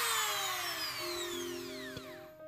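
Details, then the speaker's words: Mini grinder after on/off switch replacement, run at one speed then another: high motor whine spinning down and back up, smooth and even with no grinding or rattle; running normally again. "yang satu aja Lur ya Oke jadi seperti ini Lur Oke sudah nyala dan normal kembali"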